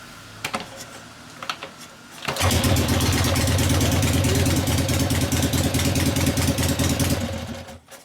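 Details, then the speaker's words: 1970 Harley XLCH Ironhead Sportster kickstart rigid bobber, warmed up after test drive: kicks over into a lumpy loping idle around three beats per second; poor carburetor low-speed circuit, mixture screw adjustment making little difference, different jet considered. "you can start this one that low speed circuit sucks about three turns up and down doesn't make a hell of a lot of difference"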